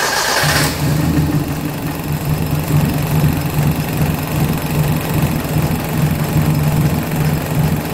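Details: 1983 Suzuki Jimny SJ410 with rebuilt stock F10A engine, Aisan carburetor, straight-pipe exhaust, after cold valve lash set to 0.10 mm intake and 0.15 mm exhaust: catches quickly on the starter and settles into a steady, even idle with no top-end tapping.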